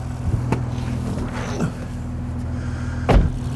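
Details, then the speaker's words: 2005 Honda Odyssey after timing belt, water pump, plugs, rear catalytic converter and engine mount work, cooling system being bled: low even engine hum, no misses or knocks, runs really smooth; check engine light on, fans not yet on. "don't see the fans on yet but i do have heat and it runs really smooth but the check engine light's on"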